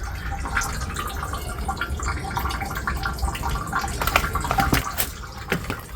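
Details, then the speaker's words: iStore 270L heat pump water heater, pressure relief valve opened slowly for the six-monthly release: continuous gurgling rush of water with irregular splashes. It flows freely, so the pressure relief is working properly. "And this should be free flowing. Then you know the pressure is working properly."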